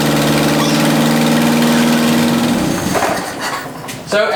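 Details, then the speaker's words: 1979 Toyota Corolla idling after the exhaust manifold was removed and its gasket destroyed: loud raspy idle with rapid ticking chuff on the exhaust note, an exhaust manifold gasket leak; the engine is also known to need a carburetor. "I removed the exhaust manifold and the gasket just totally destroyed itself so there's a bit of an exhaust leak but we're gonna be replacing that anyway so no big deal but I'll let it run for you guys you can hear it"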